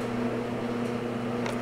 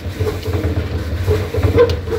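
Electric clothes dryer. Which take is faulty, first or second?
second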